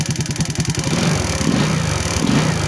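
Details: Motorcycle with high tension wire held gapped from the spark plug, no cap, fires with quick uneven pulses, catches on one click and settles to a steady run with a rev; hard starting, spark plug suspected.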